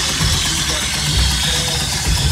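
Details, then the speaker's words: Small red truck, first start with a new battery; injector copper washers not sealing and fuel leaking, plus a thin vacuum line possibly not sealing: loud, uneven, lumpy idle with a hissy top end and engine shaking. Rough idle, cause unconfirmed. "it's running as you can obviously see it's shaking a little bit so I got some buns to work out but it's running"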